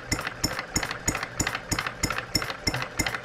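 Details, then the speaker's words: Brand-new Stirling Kit hot bulb horizontal mill engine idling after about 15 minutes of running and warming up. Crisp clicks about three a second over a soft putter sound like knocking but are the water pump check balls. Normal check ball clicking. "listen to that idle it sounds like it's knocking but it's our check balls down here in our water pump how cool is that guys"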